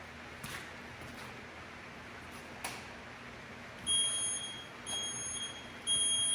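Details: Used car lift in shop, lock air lines just connected and locks working: quiet shop then shrill high beep repeating about once a second; lift warning buzzer sounding, cause not pinned down.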